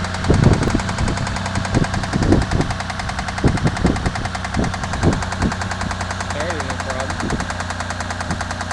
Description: a undiagnosed knock in my cougars engine..